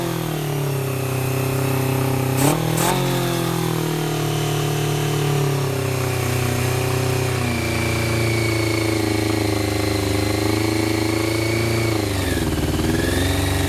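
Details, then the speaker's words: 1990 Honda CBR600F four-cylinder, rough bike being revived, after starter fluid, choke nearly all off; idles high then wanders, revs hunting; owner suspects intake air leak at carb boots, tightening them helped; carb inlet was leaking fuel; erratic idle. "I got the choke pretty much all the way off, but I'm still having that issue. I mean, it sounds like an air leak cuz I just tightened up um all of the boots for the carbs uh down in there."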